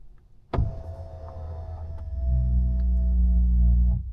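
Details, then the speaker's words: Tesla Model 3 Performance steering column adjust motor: clunk then steady low-pitch hum about two seconds as column moves back after easy entry; intermittent, owner to report to service tech. "okay so that's one thing that I'm going to need to tell the service tech when he comes out next week to to see why it's making that noise"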